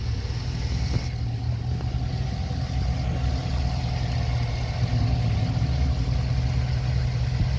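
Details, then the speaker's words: Chevrolet 5.3 L V8 truck idling after replacing a collapsed hydraulic lifter: steady deep idle with a throaty exhaust note, even firing and no more ticking from the top end; sounds healthy after repair. "so as i was saying before the reason for that job was a collapse lifter and now the job's done you hear the trucks running great"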